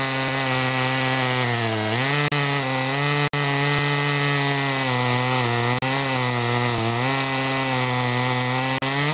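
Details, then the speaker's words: Homelite-made (Duramark-branded) Super 2 chainsaw after automatic oiler repair (duckbill valve): steady high two-stroke buzz bogs slightly and recovers as chain cuts wood; cuts well, chain oiling well. "anyway she cuts good now she's oiling pretty good now a lot of oil on that chain"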